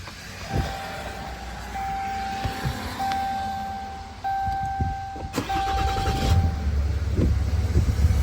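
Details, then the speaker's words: 2010 Dodge Ram 3500 6.7 Cummins turbo diesel with 5-year-old batteries suspected weak (lightning strike indicator shows intermittently): chimes, then the engine catches and settles into a steady low rumble with no slow dragging crank; a normal start. "And you hear how it starts. And I'm still going to replace the batteries."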